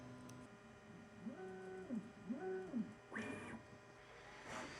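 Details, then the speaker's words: Bambu Lab A1 Mini Combo 3D printer before first test print: stepper motors sing in short up-and-down pitch sweeps, then a brief buzzy wipe as it cleans the head and levels the bed; normal. "Here we go. Cleans the head. Test the bed. Cleans the head."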